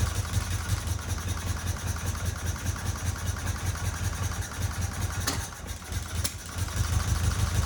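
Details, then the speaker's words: 1977 Fiat 124 Spider barn find, sat nearly 25 years, no radiator and water pump pulley disconnected: uneven, pulsing low idle that sags mid-way then recovers; rough idle, cause unclear. "I can't believe it's actually running. Obviously not 100% right."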